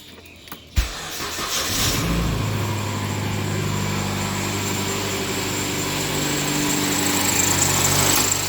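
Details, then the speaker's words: Mitsubishi Inspira 2.0 / Lancer GT on cold morning start: cranks, catches, then droning, buzzy idle with coarse vibration from the engine bay; engine mount found broken, before replacement. "So what happens is that whenever it started, when the car is started in the morning, it gives off this weird vibration, this sound. All right. So what I found out is that it's most likely the engine mounting that's broken."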